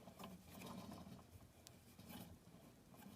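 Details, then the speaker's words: Late-1960s BSR record changer in RCA console stereo, after relubricating thrust bearing: faint rolling patter as platter is spun by hand, fading as it slows, lubrication possibly insufficient; turntable ball bearing noise. "those the ball bearings making that sound that's a really interesting thing I've just come across here yours uh I don't know if I've lubricated this thing enough"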